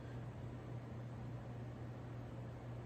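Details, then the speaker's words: Regency Cabana ceiling fan, basement-mounted without light kit, drawing 0.19 A, 10.2 W; steady low hum/vibration with faint uneven pulsing and a wobble, less than before, most likely from plastic blades and low-quality spinner motor. "But yeah, this thing does have quite a bit of a hum to it, though, or a vibration. Still does have a bit of a wobble. It's not as bad as before, though."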